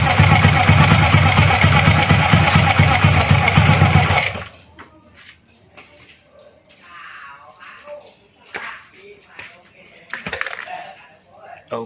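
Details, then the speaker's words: Honda Astrea Grand motorcycle after disassembling the magneto cover to fix a whining "nik nik" noise from the magneto area: engine idles with even steady firing pulses for about four seconds then shuts off, strange noise gone. "suaranya sudah tidak ada lagi."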